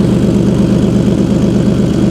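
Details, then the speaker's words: Car with top-mount turbo kit at idle: steady idle with quick sharp puffing tick on each exhaust pulse; exhaust leak at the turbo downpipe joint persisting after repair attempts. "this actually wasn't what this video was supposed to be about but we have to fix this exhaust so cuz there's a leak it's like pretty obvious right"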